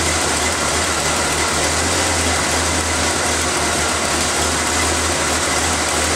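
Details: Engine started after reinstalling the valve cover, vacuum line clip, air filter and cover, to check for air-leak hissing; level idle holding one speed with a constant airy hiss but no whistle or surging. Normal, settled idle.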